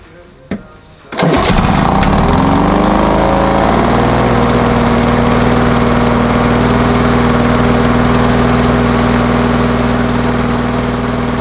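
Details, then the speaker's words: Lawn Boy mower after adjusting the brass mixture screw on the carburetor: catches on the pull, then a steady, even fast buzz with no stumbling; faster, no heavy smoke, possibly slightly rich. "but it sounds a lot better than it did before and it's definitely running faster there's not big clouds of smoke coming out anymore and to me that sounds perfect"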